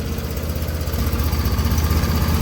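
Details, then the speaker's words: Auction riding mower with a 24 hp engine and 116 hours, which sat outside for an unknown time. With only a new battery and its existing fuel, it gives a steady, even low chugging idle with no misses, knocks or rattles, so the idle is normal. "the only thing I did to this mower was put a battery in it already had fuel in it it fired right up and it runs pretty well"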